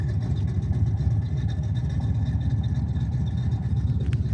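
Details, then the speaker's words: V8 muscle car project ("Orange Crush") running outdoors under its own power for the first time in over 2.5 years, throttle cable not yet connected: steady low V8 burble, even and smooth with no knock or misfire; idle a little high but sounds good. "The idle's a little high, but she sounds"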